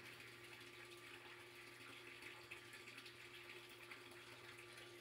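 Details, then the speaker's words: 3/4 hp sump pump with a heavy inflow stream churning air bubbles under the pump: steady low motor hum under trickling, splashing water, barely moving water, with a strange vibration on each cycle; sump pump air lock. "I'm gonna show you how my sump pump is air locking you can see that stream of water coming in pretty heavy stream and it's turning so much at the bottom that it's trapping a bunch of air bubbles in the water and pushing them underneath the pump"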